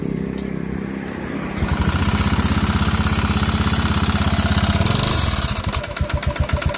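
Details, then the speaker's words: Honda Beat FI scooter that suddenly became noisy, at start-up: after brief cranking it catches into a loud, rapid clattering knock over the idle that eases as revs drop. Internal engine knock, cause unknown. "Okay, so ito yung tunog ng makina ng ating unit na dinating dito sa atin ng ating customer all the way from Laguna."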